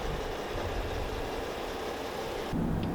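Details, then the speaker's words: Jeep JK with light bar at highway speed after a cheap fix pushed onto the light bar's middle section: steady low road and wind roar, no whistle; light bar whistle cured. "okay so everything's on it's good and we're at speed no light bar whistle so for 13 bucks we have no whistle"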